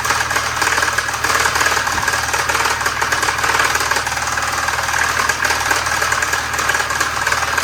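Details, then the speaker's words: 1973 Volvo 144 with a flat-tappet cam, run on diesel oil for its zinc: fast, rough ticking knock nearly four per second over an uneven idle; known internal engine knock at idle, cause not identified. "Since we we already know it it's knocking, we're going to try to drive it back into the garage cuz cuz why not?"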